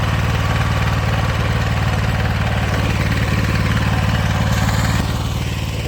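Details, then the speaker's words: Honda commercial pressure washer that sat in a shed for years, running with the water connected. A quick, steady putter of about three to four beats a second, with no misses or knocking, shows it runs cleanly. "there we go I'd call that a win"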